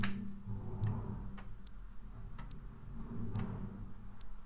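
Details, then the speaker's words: Amiga 600 booted on Workbench 1.3 with a disk inserted: sharp ticks roughly every second over a quiet hum, with no steady reading sound; the floppy drive fails to read and gives a read error. "Put in a disk. It gives me a read error."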